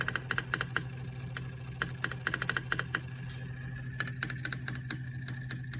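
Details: Delphi EGR valve only a few months old, code P0404: irregular sharp clicking and chattering over a steady low engine hum as the pintle position jumps around. Faulty EGR valve; replacement needed.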